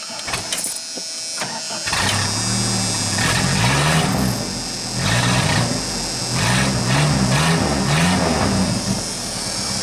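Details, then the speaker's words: 1988 Dodge Dakota 2.2 L four-cylinder, 5-speed: after a rough catch, loud raspy unmuffled drone; muffler got loud suddenly while driving, exhaust pipe slipped out of its clamp. "was driving into work and my muffler got loud all of a sudden it sounds really good bond we have to fix it"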